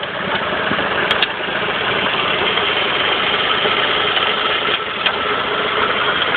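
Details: Saab 9-5 petrol engine idling with occasional sharp metal-on-metal knocks over a hiss. The noise started days after an overdue oil change and seems to come from the engine's left side, under the engine mount. The cause is unknown.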